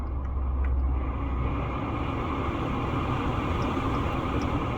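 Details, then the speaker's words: 2009 Lincoln Town Car, after repair of blower motor that ran constantly with key on engine off: engine idling, AC switched on, steady even rush of air over the engine hum with no surging; blower now working normally. "let's turn the AC on it works properly the fan is blowing suggested as you can hear it works properly now"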